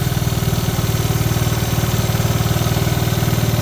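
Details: 1986 Honda TRX70 single-cylinder ATV, warm after its first start in years: quick, fairly even idle thumps about four a second with no knocks or misses; a normal steady idle.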